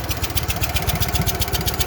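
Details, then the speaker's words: Walker mower twin engine, previously helicoil-repaired, idled down: rough idle with a sharp chuffing puff on each firing pulse; an exhaust leak is suspected, possibly internal engine trouble, not confirmed. "Sounds like there's an exhaust leak. That's what it sounds like. Exhaust leak somewhere."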